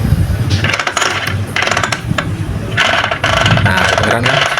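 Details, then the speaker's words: Vespa PX 150 gearbox with new kickstart gear, turned by hand with nut: bursts of dry rattling and scraping each rotation; a part not seated properly, wearing kickstart gear and layshaft cluster, not high compression. "ini bermasalah di tempatnya. Nah, itu salah satu penyebab gigi Borobudonnya habis ya, Teman-teman ya."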